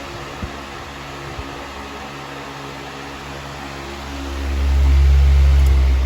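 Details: 1998 Patton 20-inch high velocity fan (I-20CA/U220), restored, cleaned and oiled, run on low after full reassembly: steady low hum with soft even whoosh, no rattle or wobble, very minimal shaking.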